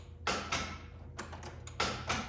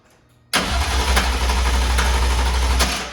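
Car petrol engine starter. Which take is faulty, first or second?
first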